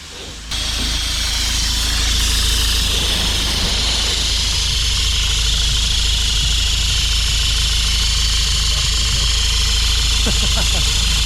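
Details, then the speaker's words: 2017 Mazda 6 2.2 Skyactiv diesel at idle, DPF pressure sensor hoses disconnected: a loud, constant hiss of exhaust pressure from the hoses, while almost nothing comes out the tailpipes. The DPF is blocked, with a low boost pressure fault. "Serious pressure coming out of that. Fucking hell. Almost nothing at all coming out the tailpipes."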